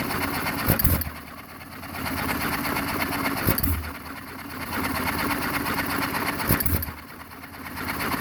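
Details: John Deere 1 1/2 HP hit-and-miss engine, first start after a rebuild: a sharp firing bang roughly every three seconds with the flywheel coasting and whirring between shots. Normal hit-and-miss running.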